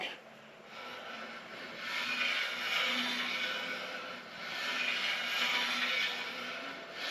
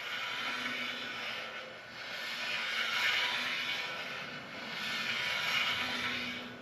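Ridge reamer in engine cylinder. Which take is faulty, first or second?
first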